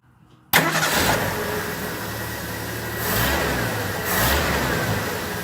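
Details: 1974 Ford F-250 Ranger SuperCab straight-six with carburetor tuned: cranks and catches at once, settles to a smooth even idle with two clean throttle blips; runs healthy.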